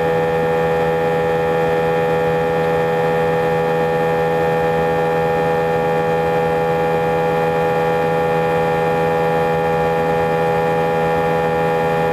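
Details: A320 cabin during takeoff: loud steady droning hum with strong low tone and faint beat, vibration felt through seats for the whole five-hour flight, drowning intercom announcements; abnormal engine noise and vibration, cause unknown.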